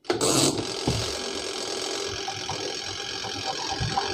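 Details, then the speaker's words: Panasonic twin-tub washing machine spin-dryer tub before repair: motor hums and labours with an uneven rumble and loose rattling, spinning slowly and never reaching speed, sometimes working, sometimes not; weak motor capacitor, later replaced. "Lihat, benda ini bergemuruh, tidak stabil, dan putarannya lambat. Kadang berhasil, kadang tidak."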